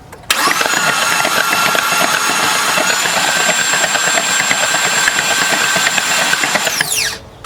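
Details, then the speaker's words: 2016 Ford F-150 3.5 V6 with new correct starter and transmission fluid in the cylinders: spins quickly and evenly for about seven seconds, free cranking without binding; normal cranking. "So that confirms that the ECU is telling the starter to turn over."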